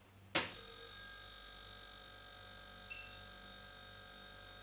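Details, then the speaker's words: Fridge-freezer compressor restarting after being left a minute to cool once the overload sensor had cut out: a sharp click as power returns, then a steady, even hum and whine as the compressor starts normally. "Now the compressor has cooled down, we've left it a minute. I've already heard the overload sensor cut out. I'm going to turn the power back on and the compressor should start normally."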